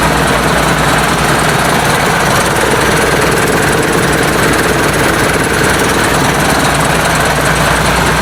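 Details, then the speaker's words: International DT466 diesel swapped into a 1966 Ford F250, first cold start: loud open-exhaust clatter at a steady, even idle with no knocks; runs well, oil pressure not yet checked with a gauge. "but anyways you see it running it runs really good uh don't know about oil pressure or anything like that i haven't hooked the gauge up to it um i'm pretty sure it's fine i don't hear any um knocks or anything"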